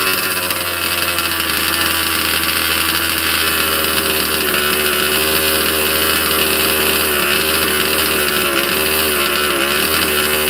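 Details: Cold 2-stroke engine in a 30 Degrees North 5th-scale RC truck, unrun for 2–3 weeks, just started without choke: steady high buzz with slight wavering as it warms up, even running, no misses or knocks; healthy.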